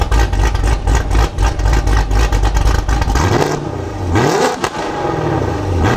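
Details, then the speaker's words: Modified 2019 Camaro SS V8 on E85 with nitrous kit and catless headers, two-stepping at 2500 rpm; loud bouncing on limiter with sharp crackling pops about once a second, heard even inside with windows up; healthy launch-control pops. "Wow now I was inside the car with the windows up and I could hear that those pups are insane out"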